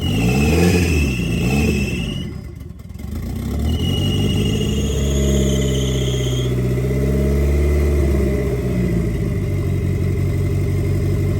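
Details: 1990 Mitsubishi Eclipse GSX, first start after intake manifold reinstall and cranking with plugs out to build oil pressure: brief cranking whir, pause, then it catches and settles to a steady idle.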